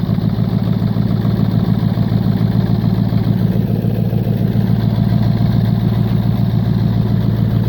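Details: 1996 Ford F-250 7.3 Powerstroke diesel, about 50°F: steady even idle, low regular clatter, no stumbling or hunting; running smoothly.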